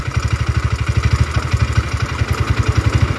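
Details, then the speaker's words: Honda GL motorcycle engine at stroke 70, idling: lumpy, loping idle whose revs rise and fall by themselves and won't stabilize; the tensioner is suspected to be moving up and down, not confirmed. "ya gas naik turun tinggi sendiri rendah sendiri gak bisa [Musik] stabil"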